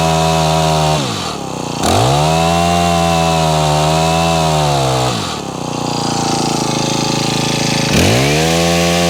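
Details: Honda HHH25 four-stroke petrol hedge trimmer, suspected of bogging and failing to start; after priming and choke, buzzes at high revs but sags and bogs every few seconds then recovers; uneven running, carburettor needs tuning.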